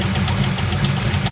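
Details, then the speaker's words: Car, engine ticking after the shifter broke, heard with the valve cover off where the owner locates the source: fast, regular light ticking in time with engine speed over a steady idle; a GM tech believes a valve lifter. Not confirmed. "so it seems like with the valve cover off i can tell that it's coming from right here so she's definitely hurt um now i did talk to a guy who's a gm tech and he said that he believes that it's going to be a valve lifter"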